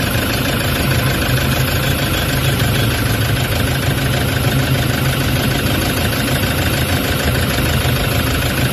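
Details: Toyota Hiace common-rail diesel with vibration, low power and check engine codes P0400/P0406 for EGR malfunction: idles with a heavy, uneven low-pitched shake and steady clatter that never settles, attributed to the EGR fault.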